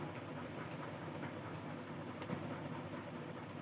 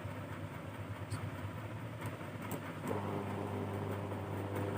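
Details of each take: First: Cooler fan motor with corroded aluminium winding wires: a faint, steady low hum with no strong spin-up because the run capacitor has failed and shows no value on test; the capacitor was replaced. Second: Cooler motor repaired at home: corroded aluminium-winding main wires cleaned and reconnected, faulty capacitor replaced; tested on low, medium and high speeds, quiet steady hum firming up to speed, not heating, running normally.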